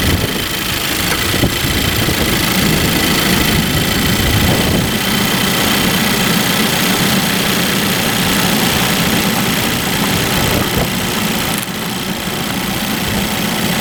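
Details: Idle right after retensioning the drive belt, with the air conditioning and all accessories on. A dense, steady, even hum with no belt squeal or chirp. Normal idle, belt quiet.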